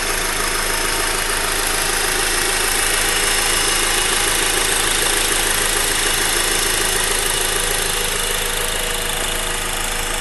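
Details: Honda Accord four-cylinder sedan idling, hood open, microphone at the engine block; even fast diesel-like ticking of about three ticks a second over the hum; normal injector and valvetrain sound.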